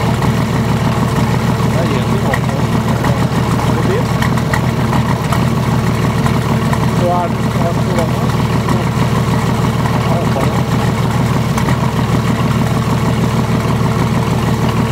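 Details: VM/BMW D190 marine diesel, first start after rebuild following a broken valve, with liner, piston and head from a VM 2.4 litre: lumpy, hunting idle as air leaks past the injection pump's front shaft seal, with heavy air visible in the diesel return hose.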